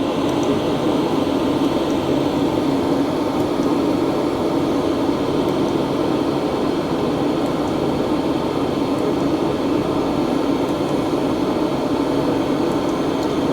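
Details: 2025 Hcalory TB2S Toolbox diesel heater at level 10 after about 5 minutes of running: steady, even fan roar with a smooth combustion rush and no pulsing or ticking. Running normally at full output.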